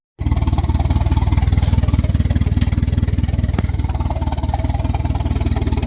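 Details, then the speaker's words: 1992 Volvo 460 turbo, just started for the first time after engine removal and manifold gasket change, not fully reassembled: steady fast even pulsing idle, not at the correct rate; owner expects it to settle after reassembly. "alive it's not idling at the correct rate but once we get everything back together I imagine the shall settle down and be all right"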